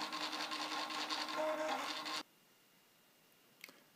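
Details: Prusa i3 MK2 3D printer finishing nine-point XYZ bed calibration: about two seconds of even stepper buzz and whir, then quiet; normal stepper motion.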